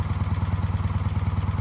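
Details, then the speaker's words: BMW R75 airhead boxer twin with Bing carburetors, before synchronization: quick, fairly even thumping idle sitting slightly high with faint lumpiness; pulling harder on the right carburetor, unsynchronized, so right idle screw backed off. "it's pulling a little bit it's pulling a little bit harder on the right carburetor so what we're gonna do since it's idling a little high"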